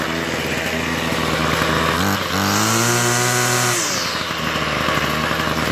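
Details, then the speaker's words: Toro 51976 25cc two-stroke straight-shaft gas trimmer after gas line, recoil starter and trimmer head repair; warming up, choke partly off: steady idle, then clean rev to a high even scream and back without stumbling; normal high-throttle running. "It seems to run pretty well with, you know, without me touching anything. Let's try this. All right. Yeah. really well, huh? At high throttle like that?"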